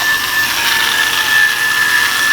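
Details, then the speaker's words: Dirty yo-yo bearing spun before cleaning: a rough, gritty whirring hiss with a thin high tone that fades quickly as the spin dies. Debris in the bearing cuts spin time, so it needs cleaning. "You hear that? And it already died. It sounds like there's stuff in the bearing, and the spin time will decrease rapidly, and that's when you know that you need to clean the bearing."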